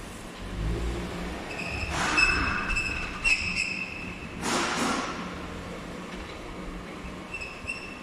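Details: Skoda Octavia A7 (Octavia III) with 34,000 km and a customer complaint of severe squeal when braking; a sharp, high-pitched metallic squeal comes and goes over road noise as the car brakes: exhaust rubbing on its subframe mount.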